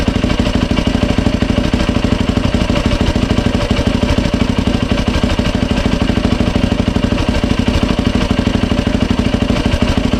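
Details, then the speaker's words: 2007 Yamaha YFZ 450 single after top and lower end rebuild, new water pump seals and impeller shaft fitted to fix a coolant leak at the pump hose; quick, even pulses about three per second at steady idle, no knock or rattle. No leaks, runs clean. "No leaks, she runs."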